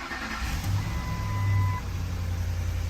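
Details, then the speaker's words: 2008 Ford F-150 5.4L 3-valve V8, about 150,000 miles, cold start after a timing job: high cold idle with an uneven low pulse. Power balance shows cylinders 5–8 weak on bank two; timing error suspected; bank two misfire. "you can see it's all concentrated on uh Bank two over here okay we got a bank two problem"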